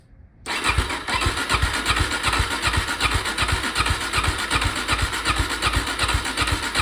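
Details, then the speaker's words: Suzuki DRZ400 off-road bike, sat about 5 years, cranking without starting fluid: starter churns two to three pulses a second with no firing; owner thinks fuel is reaching the carb. "okay so nothing I think we're getting fuel at that point to the carb"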